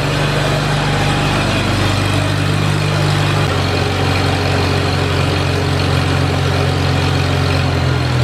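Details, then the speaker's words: Farmall Super A tractor, first run after ground and wire repairs restored spark, warming up: steady even low chugging idle at constant pace, no misses or knocks; healthy, settled normal idle. "I'm just tickled to death this thing's running you don't know how bad it was for me to shut that thing off I couldn't wait to start running"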